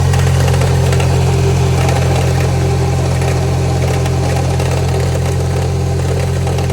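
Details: Subaru EJ20X engine, owner suspects rod knock; steady idle with an even fast knock about three per second through the low drone, possible bottom-end knock, unconfirmed.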